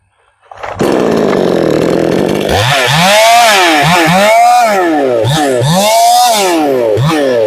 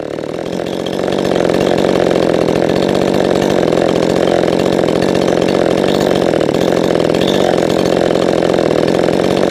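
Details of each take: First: Chainsaw after richening the lean high-speed mixture: crisp clean revs rising and falling about four times, pulling smoothly without burbling; properly tuned, later held full power in a hard cut. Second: Poulan 3450 chainsaw being tuned, held wide open: thin steady high scream with no four-stroking, then cut off; high-speed mixture slightly lean, so richened a little on the high screw.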